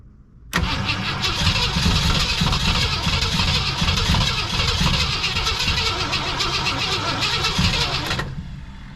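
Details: 1965 Lincoln Continental after sitting for years, new gas tank, spark confirmed, fuel poured in: steady starter churning about four beats a second for eight seconds, never catches; cranks but won't start, cause unconfirmed.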